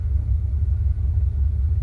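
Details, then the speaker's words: 1975 Cadillac Fleetwood V8 idling with new battery cut-off switch thrown: low, steady rumble with no misses or knocks; still running because the alternator is good. "Thought that would kill the motor for a second. No, this is a tantamount of just taking the connection off the battery. You know, the reason why it's still running is because the alternator is good."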